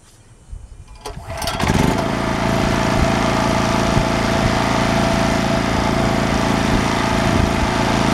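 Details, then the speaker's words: Champion generator after a new carburetor and with the air filter assembly refitted: catches after a few pulls and settles into a steady, even drone with no surging or misfire, noticeably quieter than before; running properly. "It is much quieter now with the air filter assembly on it."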